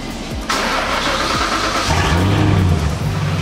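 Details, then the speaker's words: Ford Falcon ED XR8 Sprint V8 revving before exhaust shop visit: loose, tinny rattle rides over the exhaust note as revs rise; both catalytic converters collapsed and rattling, new high-flow cats planned. "so um the exhaust is off at the dip at the moment but the two cats are just collapsed and rattling around"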